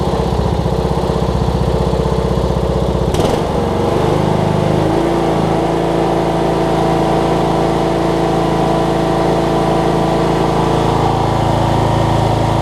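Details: Cub Cadet riding mower, Kohler Courage single-cylinder engine, just after HIPA carb kit replaced a carb that leaked all its gas out: brief stumble at start, then smooth even idle with steady hum, no misses; normal idle.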